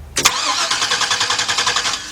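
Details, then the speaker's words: 2002 Workhorse FastTrack FT1061 cranks but won't start: starter engages and cranks at an even brisk beat without firing. Fuel pressure is only about 8 psi while cranking, so the pump is bad; replacing the pump and clogged fuel filter is planned. "eight psi this pump is not putting out anything Wow so we uh we definitely got a bad pump here"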